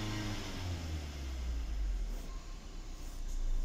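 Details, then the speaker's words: Ford Taurus petrol engine revved with a deep, uneven, lumpy throb; codes P0302 and P0303, misfires on cylinders 2 and 3 per power balance test; ignition coils and spark plugs to be checked. "bale ito ah palyado kasi ung kanyang makina so ang titignan natin dito ay ah Yung kanyang ah ignition coil at saka yung kanyang spark flug no yan kasi 3 in2 yung misfiring cylinder niya"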